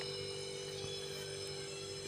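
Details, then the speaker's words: 15-year-old LG single-door fridge reconnected to its own wiring after the thermostat check: constant low steady hum, no clicking or cutting out, drawing about 1 A; the thermostat was the only fault; normal running. "இப்ப பாத்தீங்கன்னா bridge run ஆகுது. One arms எடுக்குது."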